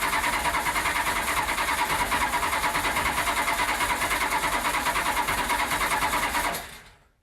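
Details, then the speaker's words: Datsun with Magnum V8 and newly installed supercharger, rewired harness, first start attempt: even starter cranking about three turns a second, never firing; engine flooded. "so after a little bit of playing with it it looks like the fuel injection system was flooding causing the engine to flood"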